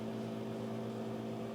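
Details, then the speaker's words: Nehalem Mac Pro with Radeon 4870 graphics card running Half-Life 2, mic moved to the case: steady low droning growl from the hot GPU fan spinning hard under gaming load. "Yeah, that runs brilliantly, but my gosh, is the GPU hot. Let me just move my microphone over to the Mac Pro. You can hear how that's growling,"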